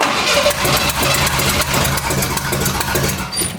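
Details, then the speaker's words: Square-body Ford Ranger engine reassembled with new heads (fitted to fix a coolant-in-oil issue), an early start attempt after smoke was seen: ragged, uneven firing that stumbles and fades within seconds. Rough running, blamed on the distributor. "Well, that would be the issue. It's the distributor again. Always the distributor."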